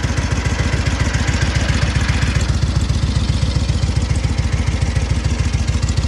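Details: SOKÓŁ 1000 Polish motorcycle after full rebuild, only briefly warmed up; even putting beat around two hundred firing pulses a minute, steady, no howl or grinding from the 12V generator; runs healthy.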